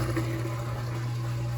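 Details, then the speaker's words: KitchenAid KHWS02RTM3 front-loading washer after a leaking water inlet valve was replaced, on the drain and spin cycle: a steady low hum with a soft watery gurgle as water goes out the drain pipe. Normal drain pump operation. "It's gonna suck all the water that I added and all the water that was in there before out. You can hear it going right out the drain pipe."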